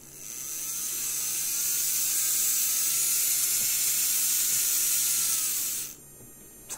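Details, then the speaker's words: Graham Farish HST loco motor, chassis powered by hand: smooth high-pitched whir holding an even tone then cutting off; motor spins freely, healthy running. "good now we'll go the other way sounds really good and how is that right i'll tell you what i'm gonna do because that seems to run fine"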